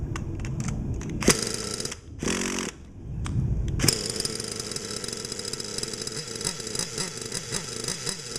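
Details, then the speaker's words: Losi Aftershock nitro RC engine being tuned: idles buzzily but stumbles and bogs when blipped, running rich; the needle is leaned out one more 1/8 turn. "okay that sounds great but it's still bogging so I'm gonna lean it out one more one more 1/8 turn"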